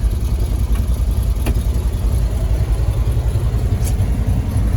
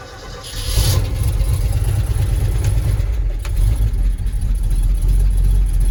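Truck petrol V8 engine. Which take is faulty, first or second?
first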